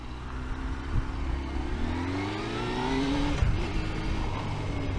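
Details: 1998 Honda CBR600F, high-pitched whine over the engine rising in pitch with revs, present as long as owner remembers; no other problems, bearings seem okay; source unknown.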